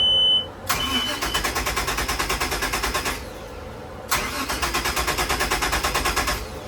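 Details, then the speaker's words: 2005 Sea Ray Sundancer 320, starboard engine (~350 hours, plugs ~1 year old) cranks steadily at about eight pulses a second over two attempts but never catches; port engine cranks fine. No fuel delivery; the root cause was a faulty fuel pump mini fuse. "happening so as you can hear the starter was cranking over"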